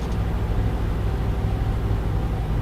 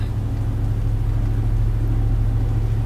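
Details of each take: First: Truck with a new driveshaft, balanced via indicator without weights, at 70 mph: steady low road rumble with no hum, drone or vibration; driveline smooth here, though a hum appears below about 68 mph (roughly 50–65). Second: Truck after a new driveshaft was fitted, balanced with an indicator but no balance weights, driving between about 50 and 65 mph: constant low even hum like mud tyres; likely driveline vibration, cause unconfirmed.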